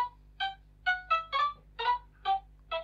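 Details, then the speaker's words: Sega Mega Drive II after a piece of metal is removed: the game plays crisp, clean chiptune sound with no buzz or crackle, so the audio is fixed. "oh come on play some sound without any crackles yes right i'll give this a a good clean"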